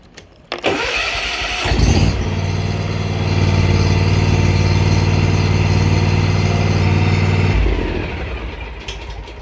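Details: Big Dog Alpha zero-turn mower with 36in deck started after oil change; quick crank, catches cleanly, then steady smooth throttled drone for several seconds before shutdown; engine healthy, no leaks, oil full.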